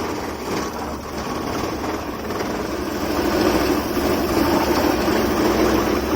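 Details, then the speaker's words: Maruti 800 (1997) carburettor petrol engine idling before adjustment; shaky uneven beat and buzzing vibration from mis-set carburettor fuel adjustment screw, fixed by turning it anticlockwise to smooth idle. "Engine வைப்ரேஷனை பார்த்தீங்கன்னா உங்களுக்கே தெரியும் எவ்வளோ ஷேக் ஆகுது. பயங்கரமான engine vibration இருக்குது. இந்த vibration அதிகமாக இருக்குது."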